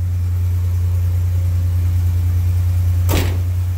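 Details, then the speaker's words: 1987 Buick Grand National, sat over 10 years, just restarted after a new tank, fuel pump and lines, still smelling of old gas: low, uneven idle with an irregular beat that sags toward stalling. Owner suspects a vacuum leak, not confirmed. "It's idling. It's idling. Doesn't sound very good. Doesn't sound too healthy."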